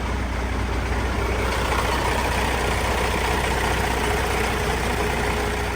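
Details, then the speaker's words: Gehl telehandler diesel at first fire after a new low-pressure fuel pump and rebuilt starter, primed about a minute: a slightly stumbling idle at about 150 pulses a minute for five or six seconds, then it settles as air purges from the fuel. "so far so good there was a slight Miss to it right at first but it only lasted about five or six seconds which is expec"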